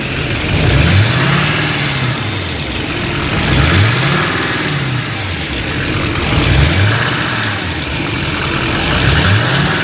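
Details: LML diesel running with a high, thin chirp recurring every few seconds over the engine note; chirp source not yet identified.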